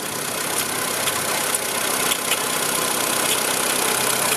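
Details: VW Gol engine idling with a thin high-pitched squeal and light chirps from a seizing bearing; mechanic suspects the timing belt tensioner, with risk of belt breaking; title points to the water pump.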